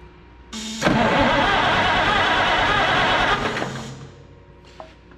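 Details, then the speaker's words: Oliver 880 tractor unrun about 23 years, barn-stored, with freshly cleaned points and new condenser: about three seconds of steady cranking with no firing, then stops; no spark. "now let's see if we get some spark nothing what in the word wild wild world of sports is going on here"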